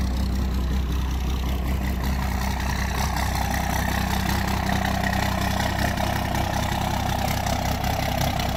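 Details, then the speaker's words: 1992 Dodge 2WD single cab first-gen diesel, after cleaning: steady, even clatter at a slow, deep idle with no misses; owner thinks idle sits a little low and wants the idle speed raised. "It does idle a little bit low in my opinion, which is funny because my crew cab idles a little bit high. So we're gonna have to adjust the idle on both of them, but let's start it up."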